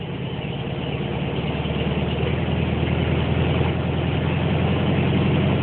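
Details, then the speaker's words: Air-cooled VW Beetle, which previously would not idle without holding the throttle, after its hoses were taken off. Steady, even low rumble idling a bit fast on the choke, running smoothly on its own. "So I mean, it idles. I mean, I drove it to Stardust Diner, which is a diner quite far away actually. It's idling kind of high right now, but that's just the choke."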